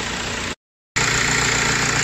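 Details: Audi/VW-group engine running with a hard, gritty whir riding high over the idle; abnormal engine noise traced to the alternator, a worn alternator bearing, later repaired.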